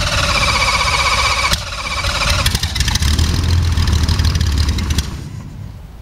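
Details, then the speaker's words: Jabiru 3300 six-cylinder in a homebuilt Sonex, Rotec TBI, 50 hours, first engine start: cranks, catches and settles into a steady low drone with a few uneven beats; clean healthy start. "sounded really good yeah sounded really good"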